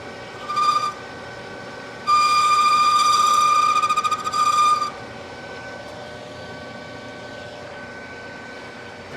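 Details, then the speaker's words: Long three-inch boring bar boring a wood lathe spindle nose to .700 in for a Morse taper: shrill ringing bursts near 1.2 kHz as the bar bounces and chatters toward the end of the cut; a 2.5-inch bar is to be tried next. "certainly sounds like it wants to chatter [Music] gets to that last little bit wants to bounce on me"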